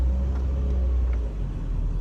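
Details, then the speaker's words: 1999 Mercedes R170 SLK driving gently after new rear discs and pads and handbrake adjustment: low even road rumble, no scraping or rubbing from the rear brakes, which previously rubbed, suspected from bad handbrake adjustment. "listening i can't hear any rubbing"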